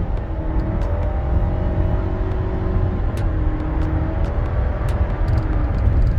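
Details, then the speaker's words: 2016 Nissan Rogue four-cylinder with CVT accelerating hard up a highway on-ramp: a flat, steady drone held at fixed revs with little pitch change. The owner feels the underpowered engine sounds choked and gasping with the CVT; unconfirmed. "It really sounds like this engine is being choked and it's gasping for air as it accelerates onto the highway or the expressway, trying to pick up speed."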